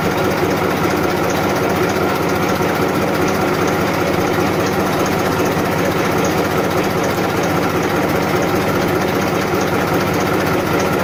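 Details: 1994 Massey Ferguson 1035 DI tractor diesel at idle: loud, steady clatter and hum, even and unchanging throughout; normal, healthy idle.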